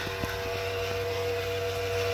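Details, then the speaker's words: 2004 GMC Envoy with engine off: steady electric hum and mid-pitched whine under driver side, the ABS pump running on and draining the battery; pulling its fuse stops it. "but uh you get that noise and come to find out it's actually the brake pump"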